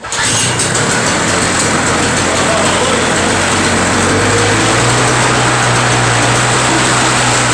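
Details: Two-stroke Toro snow blower after carburetor cleaned of a badly restricted jet: fires on first pull with choke and priming, settles into loud steady buzz, pitch rising evenly; owner suspects plugged jet was the cause, now runs strong.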